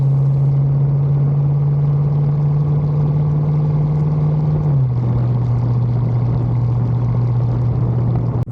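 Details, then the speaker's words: 1974 Bitter CD, Chevrolet 327 V8, warmed up, on a test drive under load after new HT leads, distributor cap, points and condenser: a smooth rumble with a clean gear change and no stumble or misfire; the problem is solved. "under load now and yeah sounds sweet as it should y yep sounds good Happy Days"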